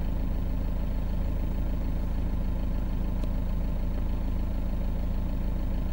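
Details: Peugeot Boxer 2.2 turbo diesel, about 426,000 km, cold start: loud heavy idle with a steady knock about three times a second under the rumble; owner suspects a known weak-point part or valve fault, unconfirmed.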